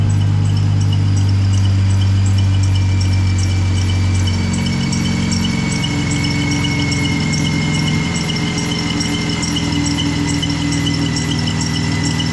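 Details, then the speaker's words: Jeep at idle: steady high squeal over the engine with a faint quick chirp, from worn idler and tensioner pulley bearings; an abnormal noise is also heard at shutdown, and a coolant leak at the bottom hose. "I've been dealing with this squeaky freaking Jeep for ever so we're gonna we're going to show you try to listen to the [Applause] squeals"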